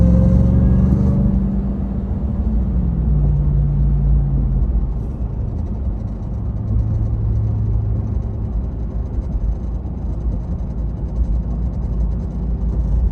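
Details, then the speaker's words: Ram TRX after several hours of driving: deep droning rumble with a falling whine when pulling away and slowing, silent when stopped; vibration noise seeming to come from dash or engine bay, source unknown. "making a strange vibrating noise when you take off."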